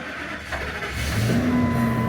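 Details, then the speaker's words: Truck with 81,000 miles, no brakes, exhaust leaks and a leaking transmission line: steady, even engine note picking up smoothly with no knocks or misses; runs really good, normal running. "it's not doesn't exhaust leaks it does it runs really good"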